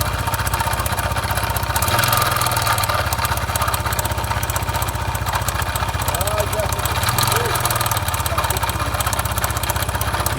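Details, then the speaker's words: Honda Biz 125 (stated as 2013 and 2015), idling with an oil leak seen on top: dull rhythmic knock about four times a second under the exhaust beat; excessive connecting rod play found, rod must be replaced. "Olha a folga da biela por isso que tá com aquele barulho Então a gente vai ter que trocar essa biela"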